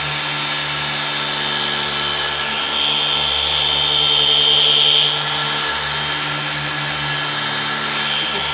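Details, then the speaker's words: Maxshine M15Pro polisher on a light contour of a car panel, speed 4 then speed 6: steady high whir that dips and sags in pitch when pressed into the curve; it stalls and struggles, lacking power. "Right off the bat, you'll notice in this very minimal contour how it's stalling on speed 4. So, all right, let's crank it up to speed 6."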